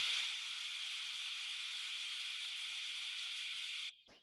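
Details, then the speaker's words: Steam trap heard through an ultrasonic detector headset: a steady high hiss for about four seconds, then a sharp cut-off, a brief reopening and closing again. This is a normally cycling trap. "Voilà, il ferme. Il rouvre. Et il referme. Voilà pour un purgeur qui cycle."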